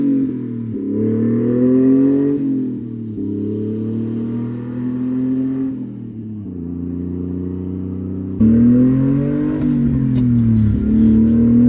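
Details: 1994 Honda Acty 4x4 truck, 660cc three-cylinder petrol, 5-speed manual, 114k km, pulling through the gears with a loud, raspy exhaust note from a leak before the muffler.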